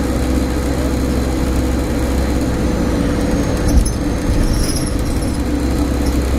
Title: Loud Humming Noise Stagecoach Cumbria Optare Solo 47020 PO51 WLK